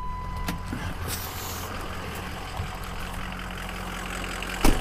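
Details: 2004 Ford F-250 with 6.0 L diesel, after crank-no-start troubles, new batteries and fuel filter change: steady low idle, even and smooth with no misses or stumbles. Normal idle.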